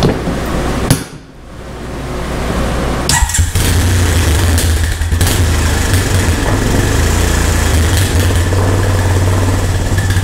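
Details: Old Honda three-wheeler/ATV found sitting. Short crank, single catches in about three seconds, settles to steady even thump; normal start, idle perhaps set a little low.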